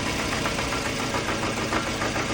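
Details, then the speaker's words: 2008 Scion xB 2.4L at idle: uneven, lumpy stumbling misfire that clears when revved, sounding like a vacuum leak; new plugs, coils and fuel pump, AC compressor bypassed, no change; eventually stalls at idle. Cause: leaking fuel injector seals. "at idle it misfires sounds like a vacuum leak but I have no idea"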